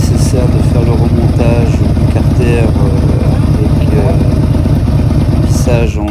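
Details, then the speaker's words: Yamaha V-Max 1200 idling after stator replacement and a recent carburetor cleaning; deep rumbling idle with a slightly lumpy, uneven beat, which the owner says shows the carbs need synchronizing, planned soon. "en effet j'ai récemment fait le nettoyage de la carburation et pour les puristes du Vmax on peut entendre que ce dernier voilà nécessite une synchro que je ferai très prochainement"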